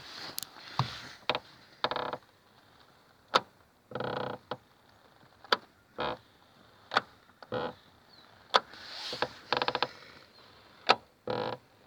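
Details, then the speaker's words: VAZ 2110 (Lada) door: sharp irregular clicks and rattling bursts from inside the door when driving over bumps, caused by an unscrewed loose part; fixed by screwing it back in. "от эта хрень была отвернута я когда едешь по кочкам туда-сюда дребезжит так что приворачивается"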